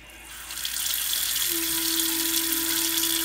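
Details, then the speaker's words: Bathroom sink cold tap opened slightly: running-water hiss with a steady low hum, becoming a full vibration as the handle opens further; humming pipes. "And when I turn on the cold water handle, just slightly, it begins to make a humming noise."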